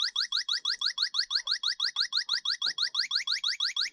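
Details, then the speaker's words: Lennox heat pump not cooling, after another company replaced the air handler coil: faint high-pitched whistle like electric feedback at the TXV connections, not a major-leak hiss; small refrigerant leak at the expansion valve. "It's a real high pitch kind of whistle. Um, didn't sound like a hiss from a major leak, but that's that's wha"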